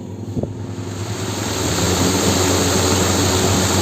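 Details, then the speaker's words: Old-model 18-inch exhaust cooler motor (24-slot, 2-inch stator) after rewinding, new bearings and plastic blade: a steady, even whir climbing as the fan spins up, then holding smooth with no rattle or hum. Runs quietly. "और ये आवाज़ बिल्कुल नहीं कर रहा है, बहुत ही प्यारा चल रहा है।"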